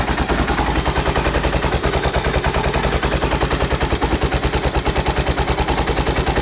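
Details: 1992 Honda XR600R single-cylinder thumping at idle with a hard clattery tap on each beat about three per second; timing chain noise suspected, not confirmed.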